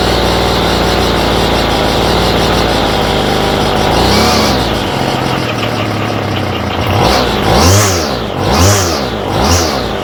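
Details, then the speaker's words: Homelite string trimmer with a new aftermarket Chinese carburetor. Small two-stroke buzzes high and steady, then hunts and surges in slow waves, never settling to a proper idle; the idle screw doesn't touch the throttle arm. "There's no idle adjustment on this carburetor at all. You crank the screw in and it's not touching, it's not even touching the thing that pushes the throttle."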